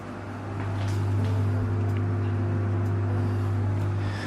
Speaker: okay so i think you can hear that so there's a little bit of a drone there obviously it gets quite as you close the doors